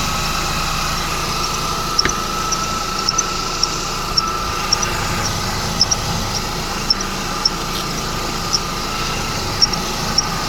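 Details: 2011 Mercedes-Benz E350 idling, belt area: short, sharp, somewhat uneven high chirps once or twice a second; belt tensioner seen moving in sync with the squeak, cause suspected, not confirmed.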